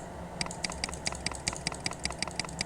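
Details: Mechanical keyboard key pressed on a keyboard tester while checking which switches double-click or fail to respond; crisp even single clicks about five per second, no chatter; this switch works properly.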